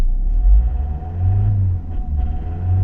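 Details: 2001 Opel Zafira 2.0 DTI 16v diesel that starts but stalls on acceleration: low rumble sags and stumbles as throttle opens. Code P1345 (pump camshaft sensor) and faulty injection pump high-pressure solenoid valve N146.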